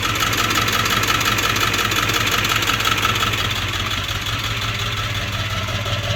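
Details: 1999 Ford Powerstroke diesel at idle with SES light on. ICP sensor and fuel filter already replaced, tank full. It needs throttle pumping or it dies, overdrive light blinks, and there is a burning smell. Steady clatter with a slow rhythmic lope; cause unknown.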